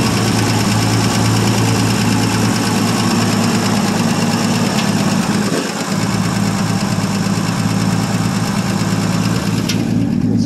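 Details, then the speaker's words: 1959 Ford F250 longbed stepside, 223 (possibly 262) inline six, cold start after 3–4 years unstarted; ignition rotor scraped of rust. Steady, even low rumble at idle, no knocks or misses; runs successfully, normal idle. "you guys do see that it does run successful cold start will it run after three 4ish years"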